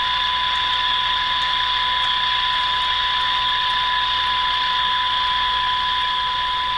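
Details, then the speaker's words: Hallicrafters TW2000 receiver during broadcast-band alignment: constant high-pitched tone over steady hiss with faint ticks; the noise signal may be triggering AVC and is hampering alignment. "So I think I'm having a little bit of a problem here. I might have enough signal to trigger AVC, and that noise signal is really hampering this."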